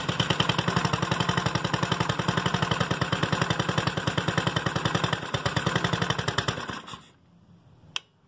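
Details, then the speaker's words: GY6 scooter with another carburetor fitted, spark plug changed and valves adjusted: ragged popping at about four per second with no clean pull; lacks power and backfires from a faulty CDI. "cuando llega a desbocar la moto pero no tiene fuerza no en pareja y sólo hecha explosiones algunas algunas veces"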